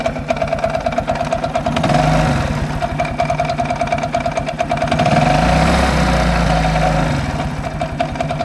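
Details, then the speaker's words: Viper Active moped after a 15 km highway ride: uneven running with a rough, irregular knock about three per second, now constant even when revving; owner suspects detonation or carburettor trouble and says it is not the chain tensioner. "Звук напоминает ээ как будто неправильный, как сказать по чуть-чуть газу, когда даёшь на холодную, например, и оно как детонация происходит или что-то такое, когда, ну, проблемы с карбюратором, можно так сказать."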